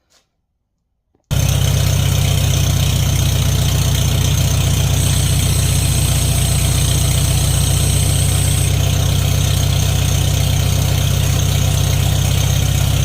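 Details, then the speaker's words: Farmall 450 started on fresh gas and a new battery on a chilly day, now with a muffler fitted. It runs with a steady, smooth low rumble and no misses. The throttle linkage acts backwards, and the owner suspects the distributor and carburetor need adjusting. "other than that it sounds much better with the muffler on there"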